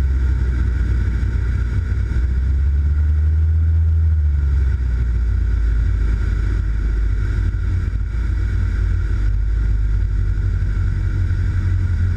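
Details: Race aircraft in the 2013 Race of Champions, Ulundi: steady low drone that wavers and surges unevenly as the engine fails. Switching fuel tanks restarted it for about 2 seconds before it died completely, forcing a landing. Vapour lock in the fuel lines suspected; cause unknown.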